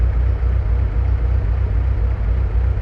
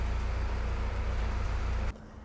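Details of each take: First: 1965 Kaiser Jeep CJ5 with F134 engine consuming excessive oil, needing piston rings, first start after sitting, fresh coolant and oil: steady low idle rumble with faint regular light ticking; loose valve lash needing adjustment. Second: Jeep Kaiser CJ5 F134 engine, cold start in hot weather, in neutral: smooth, even low idle with no knocks or ticks for a couple of seconds; oil pressure around 50 psi on 10W40.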